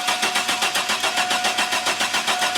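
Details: GM 4.3L Astro/Safari van, intermittent no-start, fuel pressure good: cranking with even compression pulses while a timing light checks for spark on a plug wire; engine never catches; crank, no start, cause unknown.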